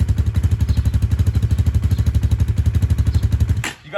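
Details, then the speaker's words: 2019 Hawk 250 at 5,858 miles, 110 main jet, cold start kept at low rpm; low lumpy thumping then abrupt cutout, won't hold idle, cold start stalling; no oil smoke unless revved. "tell it's cold because it keeps shutting off not wanting to run but again if i don't rev this thing up too much it's going to stay running"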